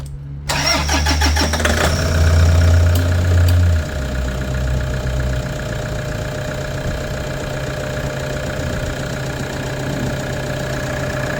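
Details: Toyota Hilux diesel after fuel filter change and priming out air: starter whirr, then catches and settles to a steady, even low idle clatter with no misses; earlier no-compression-sounding crank was a bad key.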